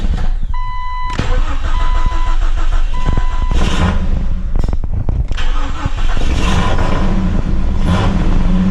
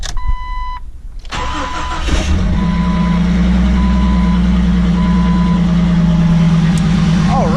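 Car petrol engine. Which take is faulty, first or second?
first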